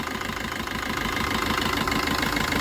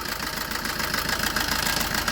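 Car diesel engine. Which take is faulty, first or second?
second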